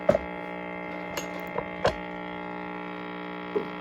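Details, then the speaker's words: 1956 Trav-ler radio/record player combo powered up before repair; constant low drone with stacked buzzy overtones and stray ticks, no audio amplification; mains hum from filter capacitors needing attention. "see if we got any loud hum with bad Caps or whatever and we'll uh we'll just go from there okay we've got some hum"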